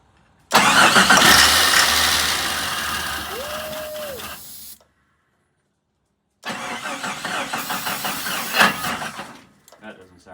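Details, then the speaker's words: 1987 Jeep Comanche after long sitting, new plugs, cranking on ether: fast starter whirr for four seconds, silence, then rough uneven cranking resumes as the Bendix kicks out and back in; owner also concerned about the engine's sound. "good well I don't know why the bendex kicked out and then kicked back in"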